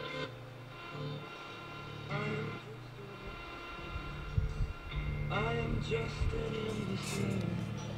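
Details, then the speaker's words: 1956 Zenith Z733Y AM/FM clock radio during service, on FM (no AFC): music with warbling wah-wah distortion; AM alignment good, FM alignment possibly needed, cause not yet pinned down. "hear distortion. I hear like wah-wah sound."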